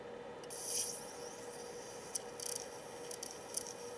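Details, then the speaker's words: Sega Multi Mega CD drive after laser pickup replacement and basic potentiometer adjustment: faint steady hum with soft hiss and light scrapes as the disc spins up, meaning the laser found the TOC and the drive can start reading; normal disc spin-up. "If it finds that, it starts spinning. And when it spins, you hear this sound."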